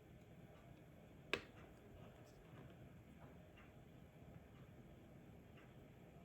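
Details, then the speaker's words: Old Rolex automatic after complete overhaul, started in quiet room, not yet fully wound; one sharp click then faint light ticking; movement running normally. "Start it up again. I mean, that's going, man. That is that's moving."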